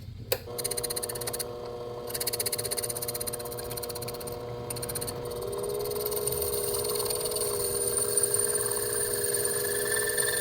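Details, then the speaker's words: Lathe cutting a homemade bench block, fed slowly: steady bell-like squeal over the motor hum — tool chatter. "Go ahead and feed it pretty slow as well just because you can hear it chatter."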